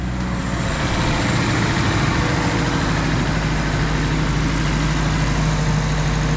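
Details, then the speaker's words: Nissan 240SX S13 SR20DET, first start after months parked, following turbo upgrade to Garrett T28 with Tomei manifold and a replaced fuel line; coolant still low: starts instantly and settles into a steady, even idle with no misses, knocks or whistles; sounds healthy. "ça a l'air plutôt sain en fait, ça a commencé tout de suite, c'est fou"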